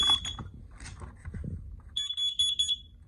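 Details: New carbon monoxide alarm from Home Depot with AA batteries just installed, test button pressed: fast burst of loud shrill evenly spaced beeps; alarm responds normally.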